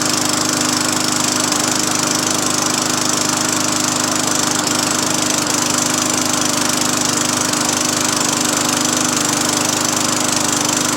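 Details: Craftsman 20-inch 4 hp push mower after new cable and carburetor install: high, buzzy single-cylinder drone holding steady speed with no surging or sputtering; running smoothly on the new carburetor.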